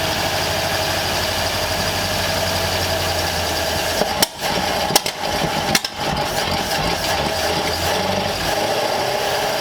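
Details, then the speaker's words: Long-stored 1934 Ford Delivery being revived, started with the choke off after slow cranking: a lumpy, uneven idle with irregular stumbles, a few sharp bangs and smoke; it runs rough and the owner suspects valves not closing fully, unconfirmed. "I'm happy. Definitely not happy. I bet there's valves that aren't closing all the way."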